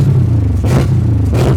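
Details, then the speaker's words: Hot carbureted engine at about 212°F, hood shut to simulate traffic: held revs rumble unevenly with dips and surges about every half second, missing, cutting out and dying; cause unknown, owner wants to watch fuel in the carb. "I'm gonna rev it up and hold it, and you can hear it's missing and cutting out. It's dying out right now."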